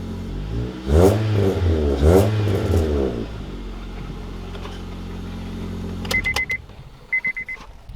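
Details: Car bought for $500, misdiagnosed with a broken valve but actually a clogged catalytic converter, now with straight pipe in place of the cat: two quick revs climb and fall cleanly, settling to steady idle; engine pulls freely and healthy.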